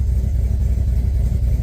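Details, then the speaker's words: LS-swapped Chevy Caprice Classic (box Chevy) on ACES fuel injection at idle with worn intake gaskets: low, loping, lumpy idle that sounds laboring; smells very rich, AFR 12.1, IAC counts way high and IAC not moving; owner suspects a bad IAC. "It smells very, very rich. AFR is at 1210. Yeah, it's rich."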